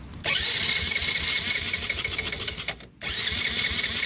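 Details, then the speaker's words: 1985 Yamaha Moto 4 80cc ATV, fresh fuel after draining old fuel, hand over carb; plug tested bad, now a wet Champion plug, carburetor untouched. Engine catches with rapid popping for a couple of seconds, cuts out, sputters without idling; owner suspects spark or carburetor. "Oh, we got something. Okay, so it kicked. It wanted to go, but I'm kind of concerned about the spark issue."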